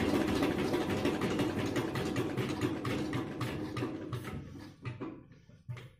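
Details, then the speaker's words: Eicher single-cylinder engine, worn ("engine back") and lacking compression, which caused no-start; restarted after oil poured into the air intake onto the piston. Slow thump about three beats a second, weakening and stumbling as it dies. "Engine क्यों नहीं start हो रहा था, इसका main वजह है कि engine back है, मतलब कि इंजन कंप्रेसर नहीं बना रहा है, इसलिए स्टार्ट नहीं हो रहा था।"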